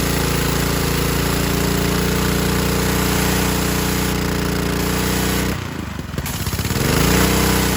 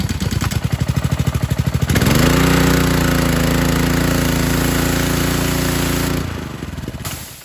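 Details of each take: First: 2015 Ryobi 3100 PSI, 2.5 GPM pressure washer with Honda GCV190, air filter off: after carb cleaning and idle-down cable adjustment and lubrication, a steady drone sags briefly then holds even. It runs properly where before it would die. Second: Ryobi 2015 pressure washer (Honda GCV190) with idle-down: engine runs at speed, then on trigger release drops and stalls instead of idling; idle-down cable suspected rusted, fixed by cable adjustment and lubrication.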